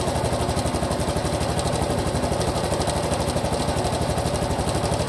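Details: Honda Cub Pro small single at idle, abnormal engine noise after an oil change meant to fix it: a fast, regular ticking chatter about four per second over the putter. Unexplained mechanical noise.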